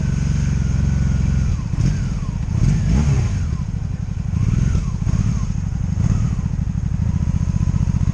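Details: 2002 Honda Magna VF750C V4 during a rebuild, first warm test run running non-stop after control adjustments, with no ignition cuts or bucking and a jerky transmission. A deep, even drone steady through gentle throttle changes. Normal running.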